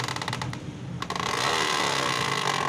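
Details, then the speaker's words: Motorcycle plastic chain cover fitted with misaligned holes and clip not seating, rear wheel turned: quick light ticks then steady dry plastic scraping as the cover rubs the sprocket; fix is altering the fitment. "देखें दोस्तों, ये चैन cover जो है ये चैन cover गरारी के साथ टकरा रहा है, जिस वजह से ये आवाज़ कर रहा है।"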